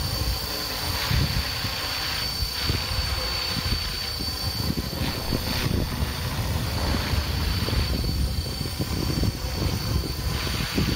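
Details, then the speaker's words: Helicopter heard with its tail rotor perpendicular to the listener: a steady high thin tail-rotor screech over a lower, choppy main-rotor throb. The main rotor sits lower in frequency than a drone's and gurgles less. Normal flight noise. "notice how the sound from the main rotor is at a much lower frequency because it spin slower than on the Drone but it makes less of a gurgling sound"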